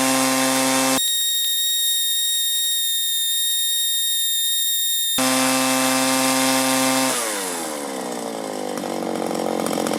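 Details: 1983 Echo PB400E two-cycle blower, warmed up and throttled up after a new fuel line and fuel filter, exhaust-port carbon cleaning and air filter cleaning: high buzz steady at full throttle, then drops and picks back up cleanly, revving crisply; normal running.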